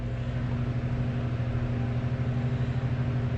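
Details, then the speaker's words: 3-speed metal-blade box fan whose motor was stuck and would only hum, now oiled and cleaned, on low: steady, even low hum with no rubbing, knocking or scraping; running smoothly. "The motor didn't turn, so I wanted to see if I could get it going, which I did. That's low."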